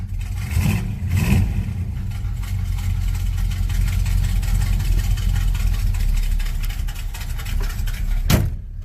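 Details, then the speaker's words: Monte Carlo cold start before fuel filter change: a couple of blips, then low uneven wavering idle that won't settle; owner suspects clogged fuel filter, or failing fuel pump. "not running right at all goes I hope it's not anything too major"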